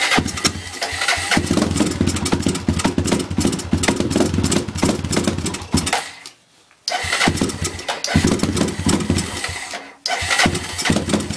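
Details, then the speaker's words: Rebuilt Honda 300EX ATV single-cylinder, new rings and 10 thou over bore, new air filter, started cold: crisp even beat, briefly cutting out twice but picking straight back up, no smoke; sounds healthy after rebuild. "put new rings in and stuff and this thing is well better not doesn't smoke at all just just nothing because it's cold"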